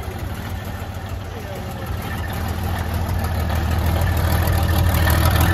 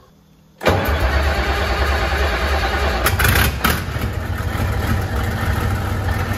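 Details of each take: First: 1972 Freightliner cabover diesel first running after 27 years: low lumpy idle about three pulses a second, uneven beats as not all cylinders fire yet, steadying as it clears; oil pressure about 80 psi reported. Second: 1972 Freightliner cabover diesel truck, recently revived after 27 years, warm restart: brief crank, fires at once and settles into a steady, even idle with no misses or knocks, "fired right back up"; normal start and idle, still holding air pressure.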